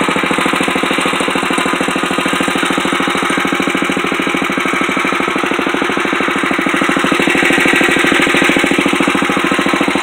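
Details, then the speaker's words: 1962 Wheel Horse 552 garden tractor, engine not warmed up, fast steady clatter with a loose-sounding buzz; owner does not know the source and suspects something vibrating. "That noise that's in there, I don't know what it is. It's probably something vibrating."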